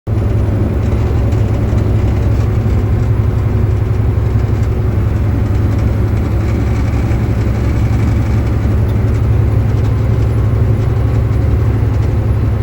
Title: 2006 volvo 780 AC system making noises please help!!!